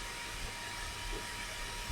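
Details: Hard drive in a car-boot-sale retro PC at BIOS drive scan, spinning up: faint steady whine over even hiss with no clicking or grinding; drive spinning normally.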